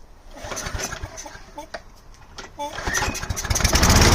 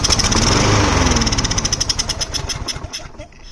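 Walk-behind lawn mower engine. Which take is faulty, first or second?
second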